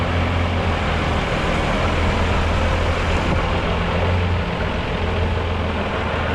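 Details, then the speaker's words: Mercedes OM366A turbo diesel (170 hp) driving after its fuel pump was rebuilt with new plunger pairs; the worn, unbalanced pump used to clatter slightly, but now it runs evenly. Steady drone under road noise; normal running. "перестало квасотіть промежутка потому що був розбалансирований так сказать то паливний насос ну понятне діло він підношений по-разному і трошки підклацував щас воно все вирівнялось все воно роби все воно чотко"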